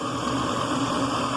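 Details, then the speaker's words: Delta Milwaukee DP220 drill press with slow-speed pulley, motor just remounted on its bracket after transport, belt possibly needing tightening; even, steady motor drone with constant hum and no knocking or wobble, runs really smooth. "but I'm just getting it running so you can see how it runs and here I'll go it's really really smooth"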